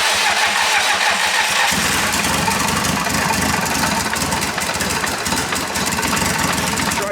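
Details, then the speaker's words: Audi A3 S3 2.0 TFSI quattro high-boost build, first start after assembly on the injectors, downpipe not connected, unmapped: brief cranking, catches within two seconds, loud raspy steady run; engine starts and runs. "so i'm gonna go for a first start and see if it starts on the injectors and everything no downpipe connected"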